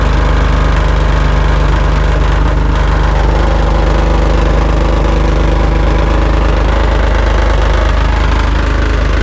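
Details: 2001 Jeep Cherokee XJ, about 183,000 miles, possibly original rusty muffler, after Muffler Weld paste on a blown seam: loud, deep, raspy unmuffled idle; repair failed, exhaust still leaking, new muffler needed.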